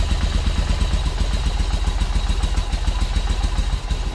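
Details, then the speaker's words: 1995 Yamaha Virago 1100 V-twin first start after 12 years sitting, following a carburetor cleaning: uneven loping thump at about three pulses a second, catching and holding idle on its own; normal idle. "Well, guys, it runs, huh? First start in 13 years. No, 12 years."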